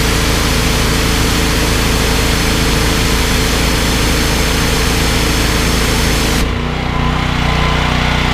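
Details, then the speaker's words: Briggs & Stratton XR2100 14 hp engine driving a 21-litre pressure washer pump, easy to start: a steady, even drone that barely dips when the trigger is pulled; it holds its speed under load without labouring. "I think that speaks for itself you could hear ie how easy the engine was to start and you can you see on the pressure gears out it's certainly not dying when you pull the trigger"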